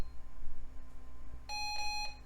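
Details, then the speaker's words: Mid-1980s/early-1990s vintage PC from e-waste, reassembled with drives reinstalled and powered on with nothing attached: a single short, clear high beep over faint fan hum, a normal POST pass before booting. "oh it's posting yeah check it out"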